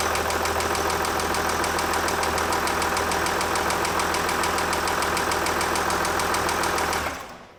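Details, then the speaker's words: 2006 Jaguar XF 3.0 TD V6 diesel at idle until shutdown: sharp, regular tapping about three per second over the idle. Piezo pickups trace it to cylinder 2 at top dead centre, where the piston strikes the cylinder head; cylinder 2 also shows lower relative compression. "So I would say the cause of this noise is cylinder 2 at top dead center, the piston is hitting the cylinder head, and that's the tapping noise."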